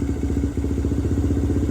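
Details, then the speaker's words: 2017 Honda TRX250X, thrashed, held on thumb throttle: uneven single-cylinder thumping sags and backfires when throttle released, then picks up; won't hold idle, owner suspects dirty carb jets or valve clearance. "it's good to go but the moment I let go of it you can hear it's starting to die and it's backfiring"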